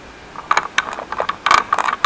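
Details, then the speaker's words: Jawa 20 gearbox turned by hand, false neutral between first and second: bursts of scraping and ratcheting clicks as the shaft teeth rub the gear wheel's inner teeth; gear not fully engaging, before gearbox repair. "Ono si to tam prostě... No, to je takový... Prostě to tam o sebe škrtá. Tadle hřídel, tady to ozubení, tady o to kolečko."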